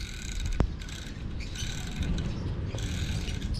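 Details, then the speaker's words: Van electric motor that has power but won't work: scratchy, uneven chirping and rough grinding over the motor's low drone, with a sharp crack early on. The carbon brushes are worn out, fixed by fitting an original NV350 part that runs quiet. "Ito marinig niyo ang ingay niyan. So is isa lang ibig sabihin nito wala na siyang"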